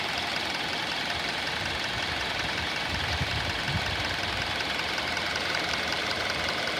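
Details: 2019 Hyundai Elantra inline 4-cylinder, 7,000 miles, just started and idling: light, fairly quick ticking, two or three per second, over steady idle, diesel-like, expected to quiet down; top-end tick of unknown cause.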